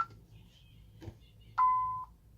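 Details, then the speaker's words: Tyco/ADT Safewatch Pro 3000EN alarm panel, controlled test: after the temporal-3 beep, a single steady mid-pitched keypad beep signals the bell failure trouble warning. "obviously it does tempura 3 beep and you still get that very annoying Bell failure"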